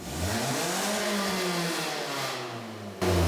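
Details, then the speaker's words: Toyota All-Trac exhaust after a welded repair, idling and revving: a thin tinny rasp over the exhaust note from a small leak still left by the rear muffler because the welding wire ran out; otherwise much quieter than before. "so aj allegedly fixed the exhaust we're gonna test it real quick there's a little bit of a leak still in the back by the muffler because we ran out of wire"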